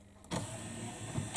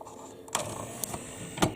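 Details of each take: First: Memorex CD 5400 CD player after sticking-tray repair (plastic cut away so pin can move): short motor whir, smooth run and soft clunk as tray seats, no catching or sticking, straight in and out. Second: Memorex CD 5400 CD player with a sticking tray and a homemade replacement pin: short plastic clicks and a brief motor whirr, then the tray fails to latch because the pin has come loose and lifted out of its slot.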